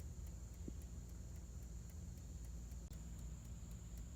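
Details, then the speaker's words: 1954 Chevrolet 210 (chopped, Bel Air trim), engine off, during rewiring under the dash after the wiring fried: the dash clock, which never seemed to work, now ticks crisply and steadily at nearly four a second. "Gang, that ticking, it appears to be the clock."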